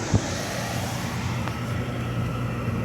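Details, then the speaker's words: Dehumidifier (Vremi or Hense) compressor running after startup, camera near compressor: even steady low hum, faint ticks, no knocks or rattles, freon audibly circulating, warm air; normal compressor running. "You can hear that freon going through the system."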